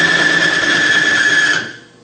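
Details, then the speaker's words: Lubricant extreme-pressure bench test, electric-motor-driven race bearing in a fuel lubrication bath under about 50 lb load: harsh high-pitched screech and metal-on-metal grinding until surfaces overheat and weld together. "right away you can hear it grinding the metal against the metal we're going high pressure"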